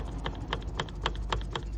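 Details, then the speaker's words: 2001 Mercedes Vito 112 CDI (W638), wheel removed, driveshaft rocked by hand toward and away from the engine: sharp dry clacks about four a second from free play. CV joint worn out though its boots are still clean. "Voilà, là. Voilà. Donc, le cardan, il est mort. Donc là, on a les soufflets qui sont encore propres, mais le cardan qui est mort. Voilà. Donc, on entend le jeu."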